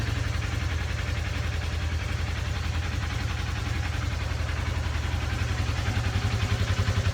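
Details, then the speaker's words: RZR sat for a year, now with a brand new battery and fresh oil: fires right up and settles into a smooth, even low idle, a steady pulse of about two beats a second and no tapping; healthy engine. "if this thing's been sitting for a year so see if it starts shits got a brand new battery and fresh oil oh yeah fires right up"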